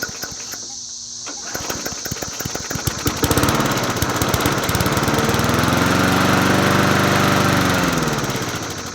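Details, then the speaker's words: Huskee 22-inch push mower pulled from a ditch, spark plug just reconnected; small engine catches after a few pulls, then runs at a steady even beat with revs rising and settling, no knock as first feared; carburetor and gasket next. Normal running. "actually don't sound that bad why not let's what the heck let's let's try to let's try to save this engine now"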